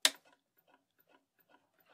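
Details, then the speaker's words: Macintosh Plus at power-on: loud click about every two seconds with disk drive seeking ticks, no startup bong; analog board resetting repeatedly, analog board fault suspected, not confirmed. "I could hear right away what's going on the analog board seems to be just resetting very quickly I hear the disk drives seeking and it clicking and it just kind of does it repeatedly it never gets to the bong"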